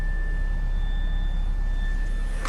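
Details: Nissan X-Trail Hybrid with hard brake pedal and dashboard warning, scan showing a C-code for the pump motor: thin, steady, sharp high-pitched whine over a low hum from the failing electric brake booster pump motor.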